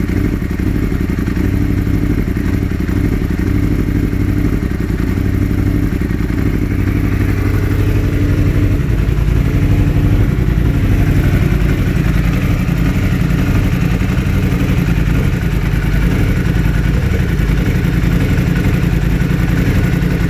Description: After a mild lowside crash, the bike now has a constant misfire on cylinder 4.